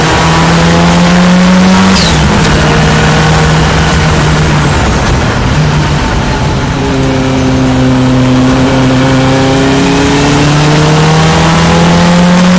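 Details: Ford Escort Cosworth race car, onboard during first practice session at Knockhill: loud engine pulling through the gears with brief dips and stumbles; intermittent misfire or ignition cut under acceleration, cause unconfirmed.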